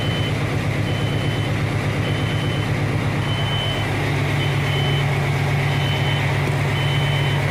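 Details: 1992 Kenworth T400 diesel truck, in a roughly 50°F shop, idles low and steady while the low-air warning beeps about once a second; the air tanks were empty from a leak at a loose tank plate.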